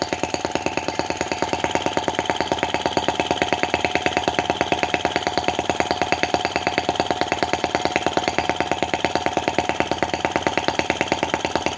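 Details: Brass half-tracked Lanz-type T16B model tractor on its first run. An even, unhurried beat of about three a second with no misses, just the slow revving hoped for: normal idle.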